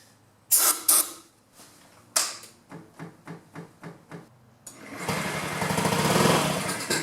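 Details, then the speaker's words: 2009 Honda Metropolitan scooter with owner-fitted new carburetor and new battery, starting fluid sprayed into the airbox intake: several kick-start strokes, then engine briefly catches and roars; spark present, no start due to fuel not reaching the engine. "Oh! She's kicking! So we know we got fire. So it's not getting fuel."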